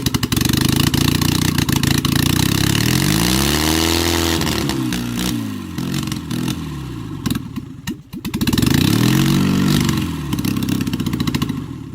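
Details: Rebuilt LADA RX engine with a new camshaft, no exhaust (manifold only), only one spark plug connected, valves, carb and ignition not yet adjusted: loud, uneven chuffing and clatter that stumbles with revs; running on one cylinder.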